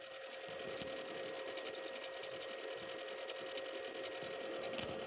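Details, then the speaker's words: Old PS2 that won't read discs: constant fast rattling grind with a thin steady whine from the disc drive while the browser says reading disc; also grinds at startup and tray opening; laser tracks later cleaned and lubricated. "you just hear that constant rattle grinding noise when you're in browser it just shows the memory card and it says it's reading disk and then you just have that constant rattling grinding sound"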